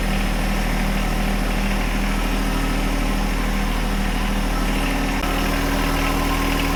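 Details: John Deere 1025R diesel tractor after replacing the main fuel filter under the floorboard, which caused its surging and stalling: steady low diesel clatter at an even idle with no surging or dropouts; running smoothly.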